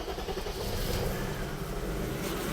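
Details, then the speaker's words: Metric Mechanic 3.7L stroker M30 BMW E34 on newly installed plug-and-play standalone ECU, new plug wires, untuned cold start: steady cold idle, even low exhaust beat, no missing; running very rich (AFR about 9–10) before O2 sensor warms up. "Look at that. For an untuned cold start, it's pretty good. I mean, just like that. Uh, and you could hear it's actually running. It's running good."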